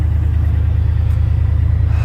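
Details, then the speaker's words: Jeep idling after starting on a 15-minute jump charge, owner had suspected the battery; deep steady V8 rumble with even pulse, no knocks or misses; normal idle. "oh god thank god she's running oh i am so happy i was banking on that to be the problem"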